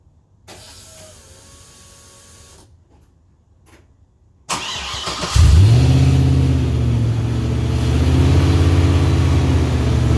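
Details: LS V8-swapped 4-speed Datsun 280Z with newly built exhaust: starter whirrs, the V8 fires and flares, then settles to a deep, steady, even burble; clean start, healthy idle.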